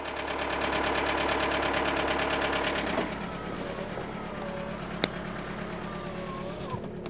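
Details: VW Golf 4 with ALH diesel at cold start idles with a loud, regular clatter that drops away, leaving faint wandering squeaks; an abnormal cold-start noise.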